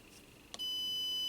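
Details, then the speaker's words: MFJ-994BRT 600 W PEP automatic antenna tuner that fails only with its bias-T connected: after a click, a steady high continuity beep of almost a second shows a short across the antenna connector. A wire appears to touch the grounded copper. "short between our antenna connector which is completely wrong"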